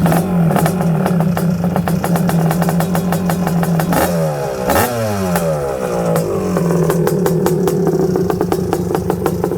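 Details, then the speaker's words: Honda TRX250R two-stroke drag build with DMR Lynx cylinder kit and custom piston, during break-in: lumpy idle with sharp regular ticking over it; top end a little noisy, possibly piston chatter, though it runs snappy. "The top end is a little noisy. It's got that custom piston in there, the one that I dip pulled and everything."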